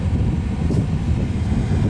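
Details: Whalen HVAC unit in a Marriott hotel room, auto mode, fan on low, 72°F: steady low rushing airflow with deep rumble, loud though it blows plenty of air.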